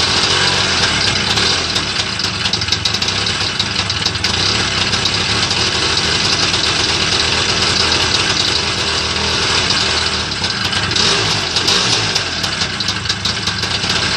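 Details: Homemade Muravey trike (tricycle), first start after repair: busy, crackling two-stroke idle holding a steady beat without stalling or surging; normal idle.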